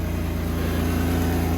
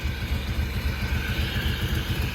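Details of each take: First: Petrol engine idling low and uneven with a faint pulsing stumble from a vacuum leak at the PCV valve, running lean; it ran differently once the bolt was pulled from the valve, temperature climbing five degrees in 30 seconds. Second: Ford XR3i engine warm at 87 degrees, steady even idle after refitting a valve that had caused a large vacuum leak (blamed for earlier overheating and rough running); idle now much quieter and about 200 rpm higher, healthy.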